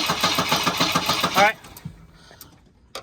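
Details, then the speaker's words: 1984 Volvo 242, B23 LH2.1 automatic, no-start. Steady cranking at about three to four turns a second ends in a sharp backfire pop without catching. Firing order is suspected wrong, and spark may be arcing to ground; unconfirmed. "it like fired back on itself which was weird if it fires after you crank then potentially uh your firing order is wrong"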